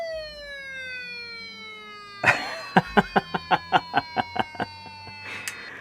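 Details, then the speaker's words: IBM ThinkPad 760 laptop at power-on showing error code I9990305, after a bad-sounding hard drive noise: a falling wail, then a quick string of about ten sharp chirps, the laptop sounding an alarm, cause unknown. "What is that noise? It's like it was stolen or something. That's hilarious. That is really funny. Whoa, now it's louder. That is awesome. I've never experienced this before."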